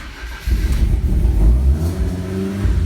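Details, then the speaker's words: Lancia Delta Evo1 with Super Sprint exhaust, after water level sensor replacement: engine blips up from low idle with a deep, throaty note, revs rising and falling cleanly with no knocks; all warning lights out, good oil pressure, a healthy, normal revving engine. "Excellent. So a nice noise, all the lights out, bit of good oil pressure."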